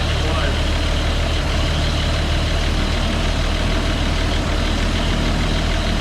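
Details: CCKW truck engine just started on choke: steady, even low rumble at idle with no puffing or ticking; no exhaust leak heard, engine sounds healthy.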